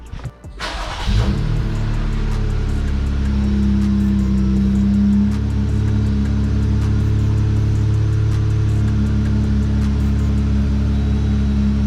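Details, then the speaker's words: Jeep test start after throttle body spacer install, battery disconnected for a while: engine catches within a second and settles into smooth even idle, no misses or knocks, no check engine lights; runs as it should. "Other than that, no check engine lights, sounds good. Calling this job done."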